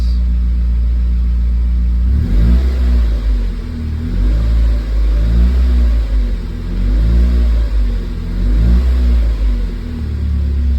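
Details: Mazda Miata being troubleshot for a P0118 coolant temperature sensor code, not started in a while, radiator cap open to burp coolant, in neutral with clutch in: steady idle, then several smooth throttle blips with no stumble or misfire. Normal revving.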